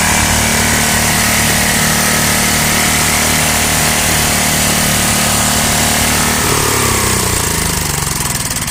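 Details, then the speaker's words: 33-year-old Homelite 8 hp 4,400 W yard-sale generator: runs hard and steady at governed speed, busy buzzing exhaust, then winds down at shutoff; carb leaks, owner suspects float bowl pin and seat. Normal running. "We did see that it worked. You know, we got running."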